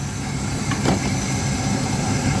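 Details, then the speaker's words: 1997 Dodge B3500 van that sat three years, brakes spongy: steady idle with faint airy hissing and sucking, air drawn into the crankcase instead of pressure, heard at oil fill cap; coolant also missing; intake manifold gasket leak. "you can hear start hissing and sucking from other [Music] places this car is not supposed to have it's supposed to have pressure not back [Music] in"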